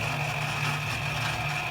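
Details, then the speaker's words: Quick Drop arcade game turntable running intermittently and slowly: constant motor hum with a crunchy, raspy edge and high whine, louder than normal; the turntable gear motor is worn and being replaced. "that motor is kind of loud. Sounds kind of crunchy. I mean, normally it does have like a loud kind of sound, but not like that. I think that sounds pretty bad."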